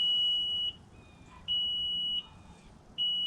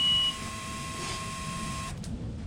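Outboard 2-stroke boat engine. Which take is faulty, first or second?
first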